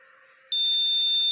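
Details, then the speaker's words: Motherboard buzzer test after moving the RAM module to another slot: the same long shrill beep persists. The module installed in the board is judged faulty and needs replacing. RAM fault beep code. "RAM yang terpasang di motherboard kita rusak , jadi kita harus menggantinya."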